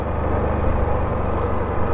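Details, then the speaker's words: Can-Am Renegade XC 1000 V-twin ATV after sitting seven months, oil not checked, running on a ride: low, smooth, even drone with no knocks or ticks, motor nice and quiet, runs as good as ever; normal running. "it still runs just as good as ever motor's nice and quiet"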